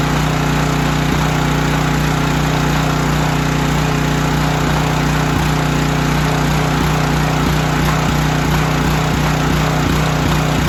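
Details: Storm generator after carburetor repair and cleaning, final start test before draining the carburetor bowl: small single-cylinder engine holding a steady governed speed with an even strong drone, no knocks or hunting; running normally.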